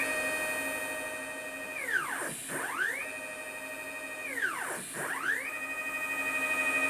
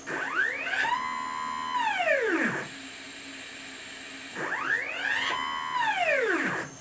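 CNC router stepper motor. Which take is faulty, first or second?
second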